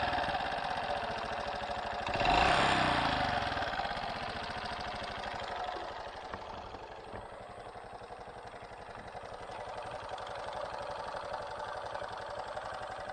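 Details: Honda Super Cub JA07 idling with a sudden new engine noise: quick light ticking, about three to four a second, over the small single's idle; the owner says it never made this sound before, cause not yet found.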